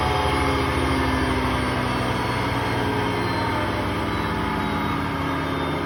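A loud, steady low roar with a rough rumble runs through the whole fast spin, typical of worn drum bearings.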